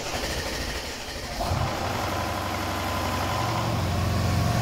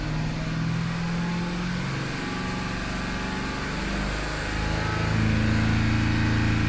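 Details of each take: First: Mercedes-Benz CLS500 with the M278 engine, around 200,000–230,000 km: on a startup check it cranks and catches, then a hard rapid clatter rides over the idle for a few seconds; worn intake cam adjusters are rattling, the right one confirmed shifted on diagnostics and the left possibly as well. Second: Mercedes-Benz CLS500 M278, 230,000 km, after camshaft and timing chain adjuster (phaser) repair: steady even low rumble settling smoothly with no tick, knock or rattle; healthy running after repair.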